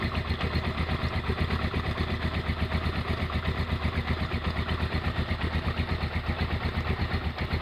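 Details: Honda GL100 single-cylinder engine, year uncertain, possibly 2000–2002, after full rebuild with Aspira piston and rings, CDI ignition, valve clearance 0.10; even steady idle thump with no ticks or rattles between beats, smooth and healthy.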